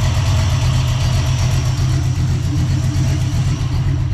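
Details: Warmed-up small-block Ford 306, GT40P heads, Anderson N41 cam, Holley double pumper: deep, lumpy idle sagging slightly, losing crispness after idle mixture screws turned out about half a turn, AFR steady around 11.5; rich idle mixture.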